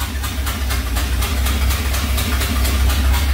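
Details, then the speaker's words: 1978 Power Wagon V8 with new long-tube headers and new starter: starts on the key, then big burbling fast idle with a strong, even exhaust pulse and no rattle, starter quiet; normal running. "well now that it's running really good sounds good cranks up on the hit of the key which is really nice"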